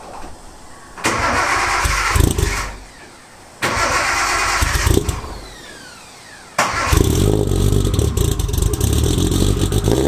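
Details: Nissan 240SX S14 with RB25 and starting issues, fitted with a forklift starter: three heavy, deep cranking bursts, last catching into rough idle, sounds like a truck; loud but working oversized starter.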